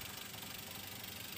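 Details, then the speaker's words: 2004 Toyota Avanza 1.3 G manual, heard close at the engine bay: quiet, steady idle with a soft even hum, no knocks or rattles; engine still smooth and running normally. "Dan untuk suaranya masih halus. Nih, kita coba dengarkan lebih dekat lagi ya. Masih berjalan dengan normal."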